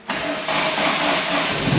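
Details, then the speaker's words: WRC Ford Focus project's first start after over four years off the road, on booster pack: brief crank, catches at once and settles into a strong, steady run; some sensors possibly still disconnected; engine starting and running. "how good that sound still got obviously because of all the wiring there could be some sensors still disconnected we've got to go over it but this is basically we've just got it running"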